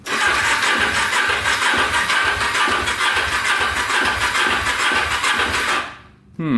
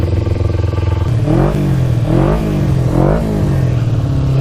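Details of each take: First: 2000 Kawasaki Ninja 250 with Yoshimura pipes, 19,695 miles, non-runner on jumper battery, first electric start: loose uneven knock about two a second over the exhaust; owner fears rod knock; knocking on start. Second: 2000 Kawasaki Ninja 250 with Yoshimura pipes, just started (finicky start button, fuel on reserve) and warming up before a ride: smooth idle then four quick throttle blips rising and falling cleanly, no stumble or rattle; normal warm-up idle.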